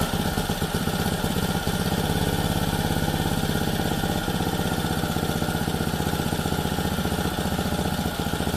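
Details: Lawn edger small single-cylinder engine, a no-start, after carburetor service, on bench: steady fast idle firing evenly, no misses or surging; runs nicely, likely dirt in the carburetor had prevented running.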